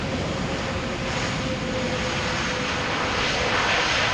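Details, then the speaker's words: Delta Airlines A330, 18 years old, landing at Amsterdam Schiphol on runway 18R: steady, even jet roar with a faint high whine during rollout, engines at idle reverse thrust, not full reverse. "Now, this was idle reverse, because believe me, you'll hear it when they do apply reverse thrust full speed."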